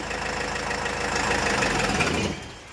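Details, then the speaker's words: Land Rover Freelander engine run during diagnosis after the belt and tensioner were suspected: a short run of a clean, even engine note with no chirp, squeal or rattle. The engine itself is healthy; the noise was from the belt and tensioner. "यह अब देखो। कोई आवाज नहीं है।"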